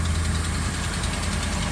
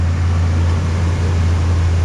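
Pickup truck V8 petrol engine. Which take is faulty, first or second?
first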